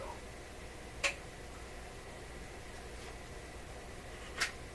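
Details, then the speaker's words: Electrohome tube radio-phonograph that was dead on arrival, restored and tested without a cartridge: record changer reject cycle with two crisp mechanical clicks about three seconds apart over a quiet hum. The mechanism works properly. "Just turn it on. Okay, so far, reject. There we go."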